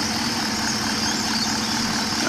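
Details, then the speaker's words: Holden Commodore VE SS at 150,000 km after routine spark plug change and new NGK 8mm leads, covers back on: smooth even idle with a quiet hiss and hum, no misses, ticks or knocks, slightly quieter than before. "So here we are with the covers back on, and you can see it's a bit quieter, or you can rather hear it's a bit quieter, but"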